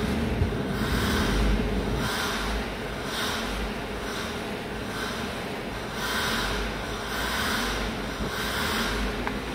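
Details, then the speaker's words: Ford EcoSport at idle with high beams and air conditioning switched on: idle swells and sags unevenly about once a second; idle hunting appears under electrical load. "o ar condicionado ligado aí já começou apresentar falha"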